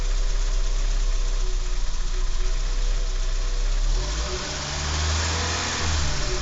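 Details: Renault 12 engine: irregular knocking through the idle that continues when revved; something is off, source unclear.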